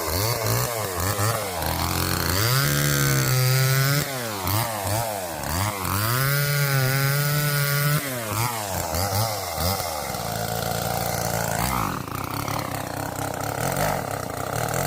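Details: Old neglected Homelite two-stroke chainsaw, revived after sitting outside, cutting a small piece of wood with a chain of unknown sharpness; bogs and surges with wandering revs, won't idle well, cuts okay; rough running under load, needs carburetor tuning.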